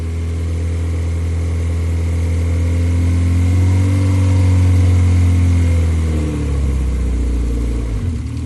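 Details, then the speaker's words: K24-swapped four-cylinder dirt car on K-Pro, first proper run after fixing connection issues, stock injectors for now. Idle about 1300 rpm, charging 14 V, vacuum good. Smooth hum rising cleanly on a rev and settling to stable idle, all four cylinders firing: normal. "hell yeah my man's excited ready to make some power she should do really good wow this [ __ ] sounds awesome it really does"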